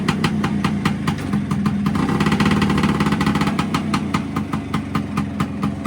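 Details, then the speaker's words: Vespa PX with a Cosa clutch that had been dragging, now fitted with SIP CR80-style friction plates. Warmed up, rider seated, idling in first gear; a crisp, slightly uneven two-stroke idle holds steady without bogging or pulling forward. "One of the last tests is going to be fire it up sitting on the bike, click it into first gear, and hopefully it'll hold the revs. It won't drag the clutch and try and pull forward or anything."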